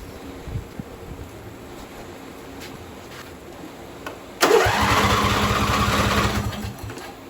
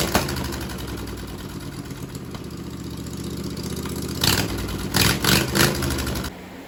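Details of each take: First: John Deere V-twin on a mud mower build, with fuel poured in the intake: a couple of seconds of cranking, catches briefly, then quits. The engine harness was left unplugged, so the carburetor fuel shutoff solenoid stayed closed. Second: Mower built from junk parts, after cleaning carburetor jets and wiring the carb solenoid to the key switch. It catches and settles into a steady, even beat around 210 per minute, with a few throttle blips near the end. It sounds healthy.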